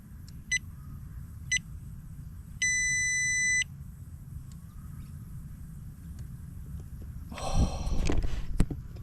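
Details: Two short chirps about a second apart, then a steady one-second tone: solar gate controller powering up normally on first switch-on from a new PALO 24V LiFePO4 battery with JK-BMS and Epever MPPT charge controller, replacing lead-acid AGM.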